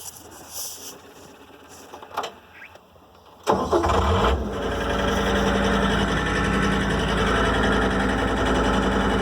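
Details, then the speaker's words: Wheeled John Deere skid steer diesel after priming the fuel filter, bleeding air and freeing a seized, pinned-down linkage: quiet clanks, cranks and catches within a second, settles into a steady even idle; normal start. "And the linkage was seized up and pinned down, so that was another issue with it as well. But now it fires up, so people gotta stop fucking jamming on shit."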